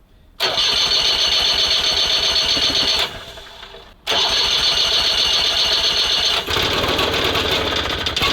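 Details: SMZ invalid carriage two-stroke (motorized microcar) first start after long storage: steady fast cranking churn that never catches; spark plug found flooded, spark checked good, ignition timing at TDC instead of 3–4 mm before.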